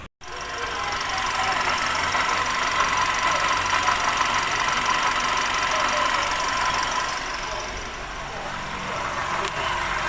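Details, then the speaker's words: Perodua Bezza at idle, before repair: faint high constant whirring whine over steady idle, traced to worn water pump bearing; water pump replaced. "刚刚我们已经检查到那个是 water pump 的那个声音了，所以现在我们就开始更换这个 water pump。"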